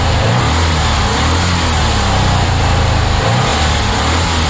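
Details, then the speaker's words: 1966 Porsche 912, cold start at about 60°F after fuel line fix, distributor loosened, burning oil: loud, uneven, lumpy running with a heavy low drone; owner suspects dirty carb, possibly needing a top-end rebuild. "foreign I think that's a dirty carb I don't know what's going on but um we'll see lots of loud noises could uh need a whole uh top end rebuild who knows"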